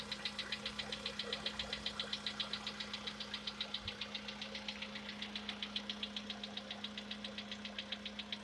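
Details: Sharp metallic tapping, steady at three to four per second over a calm idle, on a VW Polo Sedan with CFNA engine; the owner tests whether decarbonization cures this known knock.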